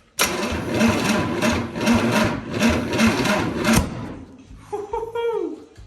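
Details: 1963 Chevy 230 inline-six, sat about 35 years, first start attempt: about three cranks a second for nearly four seconds, a few uneven pops, stops without catching; cranks but won't start, timing suspected out, to be rechecked at TDC.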